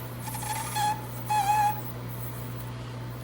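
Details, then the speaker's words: GE Profile ice machine on a test cycle before repair, producing loud squealing: two short high squeals over a steady low hum as solid ice backs up and cannot slide out of the chute. Later found a clogged water hose starving the evaporator. "It's like the ice is getting backed up in there. Maybe it'll break free. Nope, it's solid now. Yep, that's exactly what's happening. The ice is getting backed up inside there."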